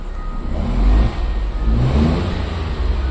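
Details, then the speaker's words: Nissan Versa 3-cylinder with 271,000 km, check-engine light on, scanner showing a cylinder 3 misfire and ignition coil code: revving pulls unevenly, and the exhaust note surges and sags. "É, carro funcionando muito mal, ó. Oscilando, forçando a aceleração, ó."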